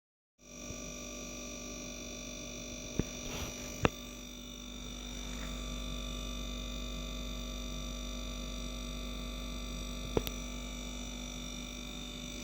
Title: Samsung dishwasher buzzing noise during sanitize